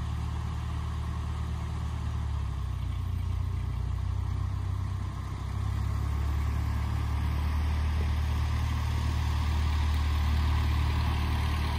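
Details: 1948 Ford 8N tractor, test drive after rebuild: a steady, even low rumble with a smooth idle and a gentle rise in revs, no knocks, normal running.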